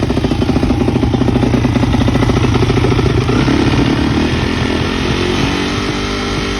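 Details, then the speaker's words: Freshly rebuilt Yamaha YZ426 dirt bike on its first start after adding coolant, gas and oil, started first try: a steady, even single-cylinder thump at a fast idle with no knocks or rattles; running healthy. "So the hard part's out of the way. We got the bike running."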